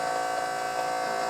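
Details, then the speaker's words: MB electric hydraulic power steering pump on a budget time attack Honda Civic, 80 amp breaker, trigger switched via ignition: steady, even electric hum with constant buzzy tone, no surging or grinding; normal pump running. "the pump's running and if i turn the key off without turning the switch off it turns it off as well"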